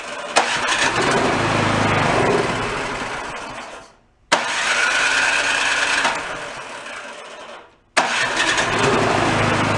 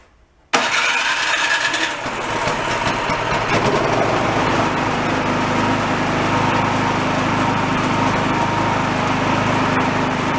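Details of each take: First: Yard-sale two-stage snowblower, started on choke with a squirt of fuel, fires three times, runs ragged and dies each time; debris speck in carburetor jet starving it. Stalling from dirty carburetor jet. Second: $40 yard-sale two-stage snowblower after cleaning out debris, started on choke: catches at once and settles into a steady, even buzzing run with no surging.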